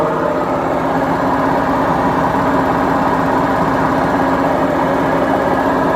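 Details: BEKO washing machine, 7 years 8 months old, which the owner says has bad bearings: steady, heavy rumbling roar with no rhythm through the spin, the kind of drone a drum bearing roar makes.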